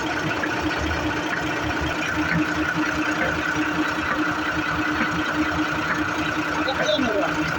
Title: Gearbox#gear #leylandtruck #driver #truckdriver #Abnormal sound#trucking #automobile